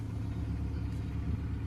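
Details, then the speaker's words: Hyundai Matrix 1.6 petrol automatic after its Bosch ECU was unlocked to bypass a faulty immobilizer that had prevented starting; low even engine rumble with no knocks or misses, a steady healthy idle. "Και εδώ πέρα βάζουμε μπρος, ανοίγω ξαμεδιακόπτη και πήρε μπρος."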